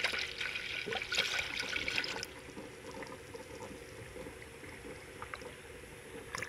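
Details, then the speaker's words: 2014 Toyota 4Runner during a coolant change, refilling the second gallon of Toyota pink coolant: irregular wet gurgles and trickling as trapped air burps out at the radiator fill neck. "this is my second gallon but you're gonna have to burp it so hear it gurgling in there see it gurgling in here"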